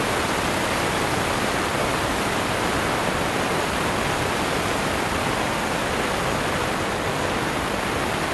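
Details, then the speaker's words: Omegasonics ultrasonic cleaner tank with power stepped down from 100% to 75%, 50% and 25%: a steady rushing-water hiss of cavitation, with sound and cavitation energy dropping at lower power, most clearly at 50%. Normal ultrasonic cavitation. "you could hear the the incremental drop from one hundred little lower at seventy five to fifty you could really hear the drop at fifty and then at twenty five"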